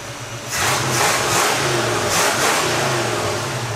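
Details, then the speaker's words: 1978 Ford F150, bought flooded, repeated revving, fairly clean but slightly uneven and rich-sounding; owners say engine runs great and the remaining problem is carburetion, lacking a good 2-barrel carburetor. "it's just a carburation issue at this point the engine runs great it's just cuz we don't have a good to barrel carburetor between the both of us"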